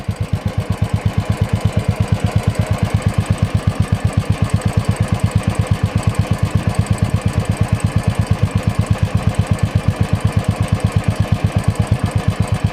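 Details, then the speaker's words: Royal Enfield single at idle on the stock silencer; steady, deep, even thump with no misses or rattle, described as a decent thump but owner feels back pressure stresses the engine and plans to change the silencer. "It is a decent thump, but the issue is of the back pressure. The engine feels stress all the time, so I'm going to change it."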